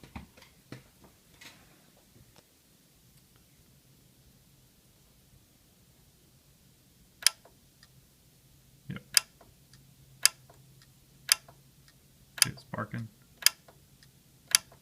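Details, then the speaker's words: Yamaha RX-V795 receiver powered up with a 12 V 4 A power relay whose contacts burnt again after an earlier cleaning; sharp irregular clicks about once a second in a quiet room; relay chattering from burnt contacts. "it's just not making good contact so let me um let me see if I can find a relay"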